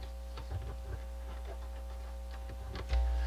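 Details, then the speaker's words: Pioneer QX-747 receiver after restoration, cover off: irregular light ticks and scratches over a steady low hum following each touch of the green right-channel wire; the internal wiring is microphonic. "these wires here just how sensitive these amplifiers are these wires are microphonic if i touch them they make noise rub them green wire for the right channel"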